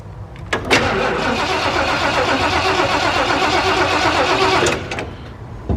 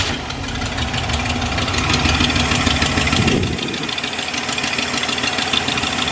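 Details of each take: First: Camper first start after exhaust manifold job, sitting about two months: engine cranks about four seconds at a sluggish uneven pace without catching; battery suspected low, gas pumped and battery charger to be added. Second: Camper just after exhaust manifold job: steady fairly even idle with soft low rumble, no puffing or ticking, no audible exhaust leak; smoke suspected from fresh paint burning off, seen at the collector.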